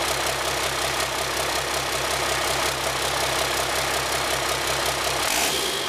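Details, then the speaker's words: High-mileage (about a million km) 5.9 Cummins 12V diesel with P7100 pump, started with all six injectors spraying: steady even idle with rhythmic clatter, no odd knocks or misses; healthy. "And that is what a half hour and a million kilometer engine sounds like. I can't believe that."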